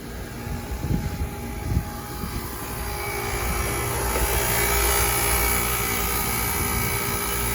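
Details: Old KKT chiller running at low load in cold weather with hot gas bypass capacity control, set point about 9°C: steady, even fan roar and smooth compressor hum with no knocks or rattles; normal running.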